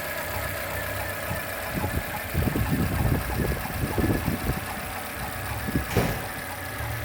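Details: Corsa Classic / Celta engine at idle with an irregular light knocking clatter and heavier bursts midway; source of the strange noise unknown.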